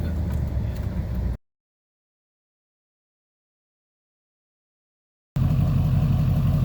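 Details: 2006 Chevrolet Silverado 6.6L Duramax diesel, Allison transmission, after replacing a cracked downpipe that caused boost loss and black smoke: deep, even diesel rumble with a clean rev, no ticking, puffing or hissing at the exhaust; normal healthy engine.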